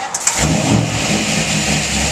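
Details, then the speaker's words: 1962½ Ford Galaxie 500 XL V8 cold start: a short starter crank catches into a steady, even, deep rumble with no knocks or misses; healthy big V8 start. "oh man now that sounds good oh Luke wasn't joking was he you know most of these cars don't sound that good listen to that"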